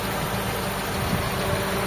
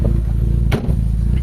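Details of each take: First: Toyota GLi 4A-FE engine idling after repair, once the radiator fan is back on automatic: smooth, even idle with a steady fan hum that cuts out as the fan stops; engine now okay; normal idle. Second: Toyota GLI with 4AFE engine: misfiring, uneven lumpy idle with irregular thuds and a clunk, engine shaking; low power, jerks when shifting into gear, hard starting, high idle, stalls; to clean throttle body/ISC valve and check distributor.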